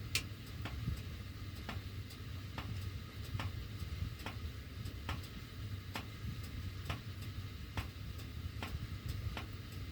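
Sharp, light ticks roughly every second over a low, soft blower hum; the ductwork is ticking while the heat runs, cause unclear.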